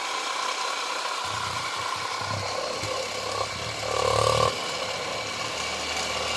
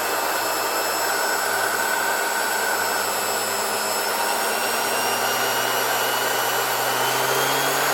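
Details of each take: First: 1970 Zelmer 01 vacuum cleaner's East German type 1004.2/5 motor from Suhl, run on a 24V transformer before disassembly and cleaning: slow low whir, rough rattle and light scraping from worn bearings and fan rubbing the housing. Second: 1970 Zelmer 01 vacuum cleaner with East German VEB Suhl type 1004.2/5 motor, reassembled with original bearings only greased, run through a voltage regulator: high motor whine sagging as voltage drops, then spinning down; bearings quiet, no grinding.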